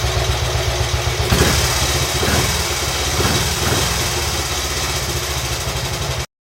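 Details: Royal Enfield Bullet 350 Classic first start after partial seizure repair, cylinder hone, new rings, decoke, valve clearances set and carb cleaned; slow loping even thump with slight hunt, running fine, carb still needs fine tuning.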